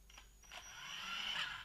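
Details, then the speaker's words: Brushed-motor RC car (Losi XXS) creeping off smoothly at the tiniest throttle input. The brushed speed controller gives a thin high-pitched squeal as it tries to get power through. This is normal brushed behaviour. "You can hear this speed controller squealing as it's trying to get something through with the tiniest little input. It still moves off smoothly. That's a brushed motor."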